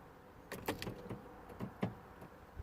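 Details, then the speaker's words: 2012 Vauxhall/Opel Meriva B petrol, locking warning light with BCM code B2524-59: with key out or handbrake pulled, irregular clicks and clunks from the doors, relay clicking, lock actuators cycling repeatedly. "when I pull the handbrake, I really hope you can hear it, the doors kind of lock again, or there's something going on the locks."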